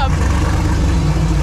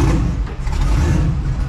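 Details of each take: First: Twin-turbo LS-swapped New Edge Mustang with an overheating problem, just restarted after radiator work and warming up: deep, steady, even idle with no misses or knocks, sounding much better than before. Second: Twin-turbo Mustang with an overheating issue, coolant just vacuum-filled with water: deep, uneven, lopey idle surging about once a second like a big cam.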